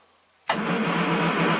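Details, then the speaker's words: 1967 Triumph GT6 parked since 1999, twin Stromberg carbs fed fresh ethanol-free gas, full choke plus starting fluid: starter spins with steady churning whir but never catches or coughs; cranks but no start. "Full choke, no gas. A little bit of gas. Didn't even want to cough."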